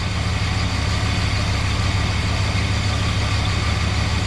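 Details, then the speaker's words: 1968 Chrysler Newport Mopar 383 V8 after swap to an Edelbrock 750 four-barrel on a Weiand intake, timing about 10–12° advance: deep, even idle with steady low rumble, no misses or surging while warming up; running properly. "so yeah she starting to warm up a little bit sounds good"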